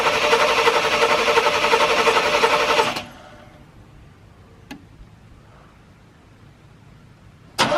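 Engine cranks and catches, settling into a quick, even running beat for a few seconds before going quiet; a normal start.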